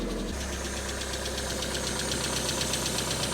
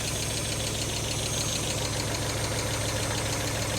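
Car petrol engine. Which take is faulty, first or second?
second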